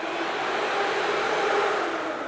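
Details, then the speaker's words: 12V electric cooling fan wired directly to battery on the bench before relay and thermal switch are added; smooth constant airy whoosh, no ticking or rubbing; fan spinning normally. "So, there we go. It runs. It spins it, but it's not very useful."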